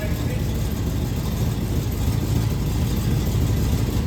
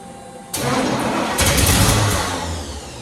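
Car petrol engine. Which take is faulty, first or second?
second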